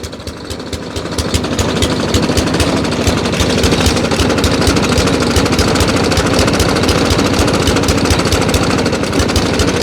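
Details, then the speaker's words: Junk lawn mower abused with oil, power steering fluid and jack oil, here fed about a quarter quart of oil: it runs better but with a fast, uneven knocking clatter and a sharp chirp, cause unknown. "Let's start her up. She's running way better. Knocking and chirping though."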